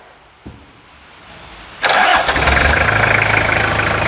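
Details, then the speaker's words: 1999 Toyota Hilux SR5 2.8 diesel. It had failed to start because of a weak battery. With an auxiliary battery charge connected it cranks briefly, fires on the first try and settles into a steady, even idle clatter: a clean start. "E aí vaca o cargo auxiliar de bateria ela pegou na primeira vamos ficar melodia"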